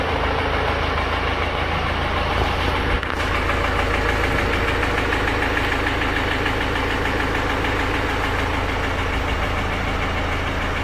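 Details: 2018 BMW X1 xDrive18d F48 diesel, 80,000 km, sudden knocking: idles with a steady metallic knock from the bottom end, about three beats a second; diagnosed broken piston, cause unknown; engine replacement recommended.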